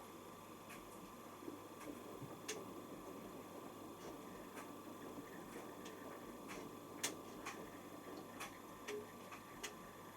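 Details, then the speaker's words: Washing machine at the start of a 60° main wash: light irregular ticking over a low hum as the timer advances normally, taking about two minutes. "it runs a bit like um logics so you will hear it ticking behind here actually does anything and it takes ages takes about two minutes"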